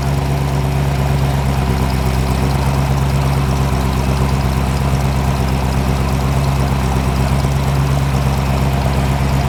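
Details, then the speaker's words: Chrysler 318-to-349 stroker on the engine stand at first firing, for a '73 Barracuda project, revved to check timing advance (about 20° up to 30°): firm, even V8 rumble with no knocks or misses, strong and healthy; normal revving. "Oh, solid performance."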